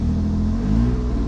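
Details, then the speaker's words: BMW E36 convertible after oil pan replacement, engine started at steady fast idle: loud, deep, raspy rumble from an exhaust leak, sounds pretty awful; exhaust leak still to be fixed. "i don't know i started the car you could probably maybe hear that exhaust leak"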